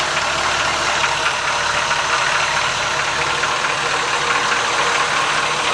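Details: 1973 Cadillac at cold idle: a loud, uneven, hollow knock in the clatter from piston slap that disappears once the engine warms up; otherwise it runs like new when warm.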